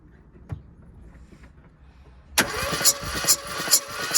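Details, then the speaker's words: Classic Mini, cranking with throttle open during compression test: starter turns about two beats a second with uneven, soft compression strokes; cylinders three and four read only 70 psi, blowing across between the two cylinders. "if I do it in number four it's the same reading because it's blowing across the two cylinders"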